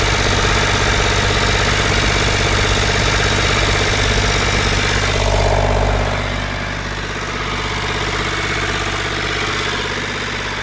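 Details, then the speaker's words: Ford 4600 (1000 series) diesel tractor, first run after fitting a service-exchange injection pump: it settles at a fast, steady idle of about 1300 rpm and won't drop lower. Tick-over should be about 800 rpm, so the idle needs adjusting. "Now, it looks like I'm going to have to make some adjustment on it because that is as low as the revs will go. About 1300 it's revving at."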